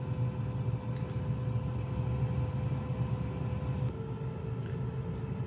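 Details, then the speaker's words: Chinese Webasto-type diesel air heater with the controller power cord unplugged to simulate a link cut: running at full output at 15–16 °C, then as temperature reaches 17 °C the even low rumble steps down and softens; reducing power near setpoint. "alors arrive à 17 parce que vous entendez mais le régime diminue"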